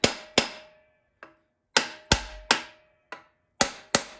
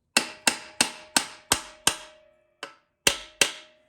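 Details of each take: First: TH350 transmission rebuild, pump tapped into the case with a hammer and brass drift around the O-ring: irregular taps with a hollow ringing thunk; pump not yet fully seated until the tone turns flat and solid. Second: TH350 transmission rebuild, pump tapped in with a hammer and brass drift: sharp, flat, solid taps with a short ring and no hollow thunk, showing the pump is fully seated on the case surface.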